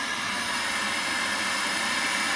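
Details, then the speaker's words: Old CRT TV after its broken speaker was replaced: a clean, even hiss of static with no crackle, buzz or dropouts, and the volume works. The new speaker's output is normal. "sounds wonderful. Volume works. That's great, dude."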